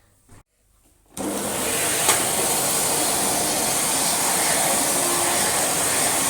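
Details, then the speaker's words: Swedish-made second-generation Electrolux Dolphin Z2230A vacuum after full refurb, its dry brass-bush rear motor bearing now greased: a smooth, steady high-pitched motor rush with no scraping or squeal, just a slight wind-down; normal running. "So it's now got some lovely grease in it, and yeah, when it's running, sounds fine. Just that little teeny tiny bit of wind down, which I'm more than happy to live with."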